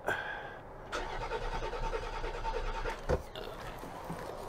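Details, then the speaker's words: 2003 Land Rover Freelander with MS43 ECU, sat since November 2018, cranking with some gas given: starter spins evenly but engine never fires; cranks without starting, cause not yet identified. "doesn't even sound like it wants to light off let's give it a little bit of gas no"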